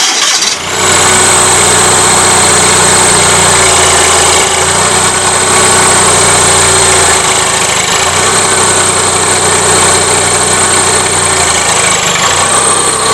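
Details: Gravely 450 with Onan CCKA twin at idle after swapping the Fram oil filter for a shorter one: uneven knocking with a high whine riding over it, no change; others have told owner cam bearings are suspected, unconfirmed.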